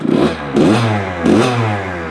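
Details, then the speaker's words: Kawasaki KX85 two-stroke after a full bottom-end rebuild with a new crank and bearings: two crisp blips, then a return to an even ring-ding idle with no knocking or hesitation. Normal idle and rev. "so pretty happy with that guys turned out good uh fresh new motor for him"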